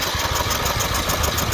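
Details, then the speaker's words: Tractor with 128 hours on the counter, cranked on a booster pack: the starter spins the engine with a quick, even pulse, but it never fires. No kick is heard; the coil kill wire is suspected and will be disconnected at the harness. "i don't think that i can hear an actual kick to the motor so we're gonna see if we can find the wiring harness and disconnect the wiring harness which should be this wire down here for the coil kill"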